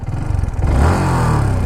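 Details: Two-year-old Yamaha R15 V4 with 40,000 km, single-cylinder; fast, even ticking over idle that quickens with a small blip; owner suspects tappets, unconfirmed.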